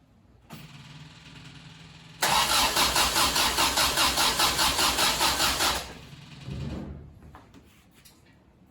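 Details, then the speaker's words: 1974 MGB, unassembled and unrun for at least 12 years, first start attempt: it cranks steadily with even compression pulses but never fires. The fuel pump runs, the carb pistons move and compression tested good, so the owner suspects no spark from the electronic distributor. "so if we're getting fuel and we've got compression we must not be getting spark i'm gonna have to go investigate that electronic distributor"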